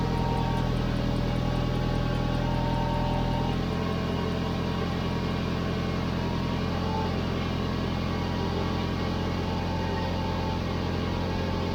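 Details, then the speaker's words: Car exhaust leak at the joint between rear muffler and middle pipe, after fitting a clamp joint with exhaust mounting paste: even idle with a soft rhythmic puffing tick on the firing pulses, still leaking. "so yeah i have some leaks"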